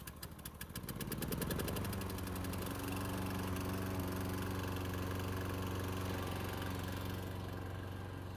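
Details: Mid-1990s Toro GTS 550 mower, model 20436, 5 hp Briggs & Stratton 124702, after carburetor cleaning of jelled float bowl: catches after short pull and settles into steady even hum with no misses or hunting; normal running.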